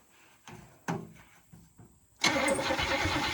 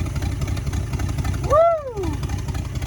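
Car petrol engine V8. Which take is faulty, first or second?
first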